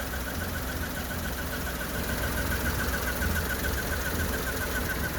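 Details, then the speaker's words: 1997 minicab small petrol engine idling in neutral with a soft, slightly slow, lumpy beat; starts right up, but owner thinks idle is too low and needs about 100 RPM more. Cause suspected, not confirmed. "it starts right up I think I need adjust the idle but I'm not sure where to do that I think it's the idle too low needs to come up about 100"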